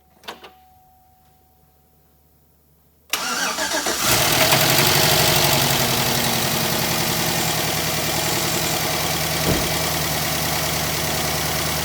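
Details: 2010 Chevy Silverado 1500 5.3L V8, nearly 350,000 miles, after new spark plugs and checked wires to cure a misfire: starter catches and the engine settles into a steady, even idle with no stumble or surging.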